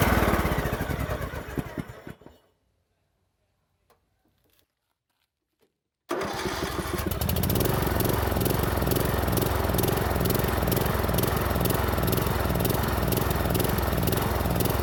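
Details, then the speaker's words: 2007 Troy-Bilt Pony riding mower, barn-stored for years, after a battery replacement: runs briefly, dies, then restarts with a pulsing, hunting idle about three times a second; surging from a clogged carburetor. "after the battery replacement the machine started up but was surging wildly searching is when the engine revs up and down by itself but won't reach a constant idle this is a telltale for a clogged carburetor"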